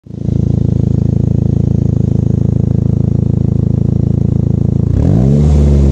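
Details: Saab 9-5 with its exhaust flex pipe broken by winter, a common issue on these cars: loud, raspy rapid puffing that gets louder and deeper when revved.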